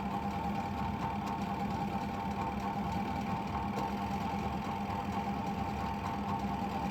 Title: washing machine spinner motor capacitor problems